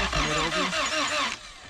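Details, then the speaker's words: Honda CRX with B18 engine, sat about two years, after starting fluid was sprayed in: the starter spins the engine at about four turns a second and it never fires, cranking without starting until the battery dies. Timing is suspected, unconfirmed. "try it one more time all right go ahead and crank it it's dead damn [Music] so it didn't start we ended up killing off the battery"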